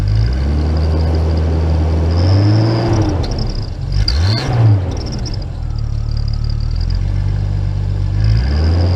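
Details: Jeep after turbo rebuild: engine fires up and revs cleanly with smooth rise and fall, no knock or whine; turbo setup sounds healthy.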